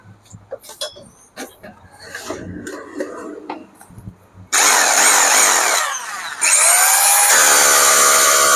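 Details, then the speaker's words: Hammer drill serviced for a harsh grinding bearing noise, switched on and off: spins up to a steady whine, dips, then runs again at a higher pitch. It works well after repair. "Drill ഇട്ടത് നല്ല അടിപൊളിയായിട്ട് working ഒക്കെ ആവുന്നുണ്ട്."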